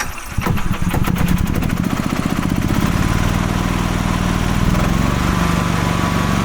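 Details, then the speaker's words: 2012 EZGO TXT gas golf cart, Kawasaki engine, after crank-no-start with no spark, likely a bad spark plug: catches at once and settles into a steady, even single-cylinder thrum; runs normally. "yeah it seems good"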